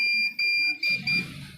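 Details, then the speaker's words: Vision 16-channel Eco series DVR, hard disk status showing self-failed: repeating short bursts of high electronic beeps with brief gaps; continuous beep alarm from a hard disk fault. "अभी self failed बता रहा है यहां की जगह या hard disk की वजह से दोस्तों बीप साउंड कर रहा"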